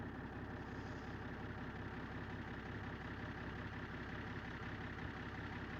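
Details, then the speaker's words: BMW X5, new battery, starting only on a Starpilot booster: uneven, lumpy idle with a slight stumble, not settling; runs poorly, not a fuel-supply problem, cause unknown, two connectors suspected. "Ça démarre qu' star pilot mais par contre ça tourne ça tourne bien pas hein."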